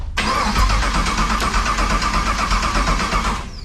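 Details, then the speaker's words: El Camino, Texas Speed 416ci LS3, TH400, Holley EFI: starter spins engine steadily about three turns a second for over three seconds, never fires; EFI reads no RPM despite crank (58X) and cam sensors plugged in; cause unconfirmed. "Yeah, we got no RPM. Damn, so we got our crank and I cam stopped signal recording plugged in."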